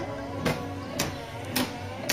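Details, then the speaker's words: Reconditioned wiper motor with new arms on a Ford MK3 Cortina restoration, first run on the car with the ignition on, at speed 2 after full speed: even motor hum with a regular sweep about every half second, no knocking or grinding; a smooth action. "Beautiful. It's a beautiful action. A beautiful smooth action."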